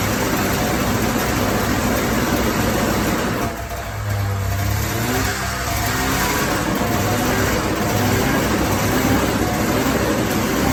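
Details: 1994 Polaris Indy 440 two-cylinder liquid-cooled two-stroke snowmobile, revived after sitting 12 years, on tank fuel: steady buzz at fast idle with a brief dip and recovery, smooth and healthy.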